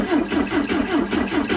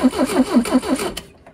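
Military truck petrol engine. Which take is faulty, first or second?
second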